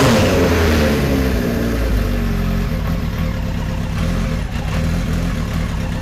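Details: 1973 Kawasaki Z1 900 four, started with enricher after plug caps swapped to non-resistor: uneven, stumbling beat, revs sagging and hunting, not firing cleanly, worse than the day before; rough running, cause not confirmed.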